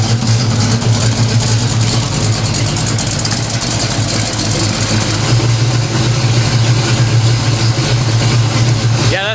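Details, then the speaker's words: 1970 Pontiac LeMans, slightly warmed-over 455 V8 with Violator pipes and about 1,000 miles on its oil, idling while warming up. Deep, lumpy idle with a steady throb through loud open pipes, no ticks or knocks. No leaks; healthy idle. "good to me no leaks pipes violator pipes sound good motor sounds good get her up to temperature"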